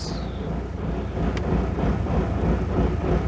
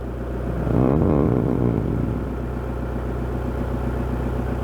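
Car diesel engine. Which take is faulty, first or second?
first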